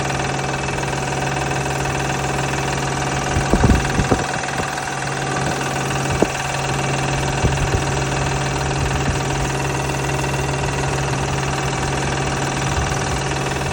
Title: This #noise from bad tensioner belt v6 Honda pilot #rattle #knoking